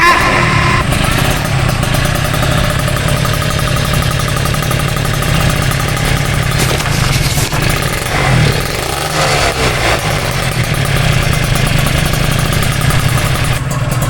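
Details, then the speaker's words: Old Kawasaki Ninja RR two-stroke after fitting a stainless-header exhaust: full, crisp exhaust note that holds steady and rises cleanly with throttle, no longer thin or tinny. "Suaranya sekarang udah beda banget. Bukan cempreng lagi tapi garing, padat, dan macho."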